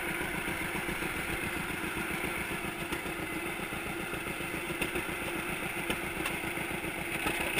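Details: 1942 John Deere Unstyled A conversion, engine formerly stuck, on its first start after new spark plug wires (GoPro in waterproof case): slow, even two-cylinder popping at about 220 beats a minute, steady with no knocks; idling healthily.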